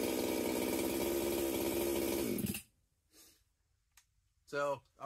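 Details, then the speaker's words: Husqvarna 262XP chainsaw, first test runs after porting and machine work, muffler mod, carb kit, new pump cover, plug, fuel line and filter: crisp steady high-revving buzz at even pitch before a clean shutoff; normal running. "This will run happily with an air filter and a top cover and cut firewood all day long"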